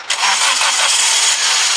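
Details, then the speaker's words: 1998 Toyota Avensis 1.6 petrol, previously turning over but not starting with flat battery, jump-started from a Jeep after alternator work: catches at once, settles to steady even idle, no stumbling; dash battery light now out; normal start and idle. "Well, it starts. Has the lights gone out on the dash? Right, all the lights gone out on the dash. There's no more battery light, which is good."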